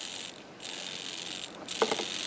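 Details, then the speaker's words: Turnigy TGY-9018MG metal gear tilt servo on an FPV pan/tilt held near a 1.3 GHz video transmitter antenna: fast hissy gear buzz in uneven bursts as RF interference makes it chatter and twitch. "when i hold it up against the antenna here that chatter you can even see it wiggling right there when i get it near the antenna"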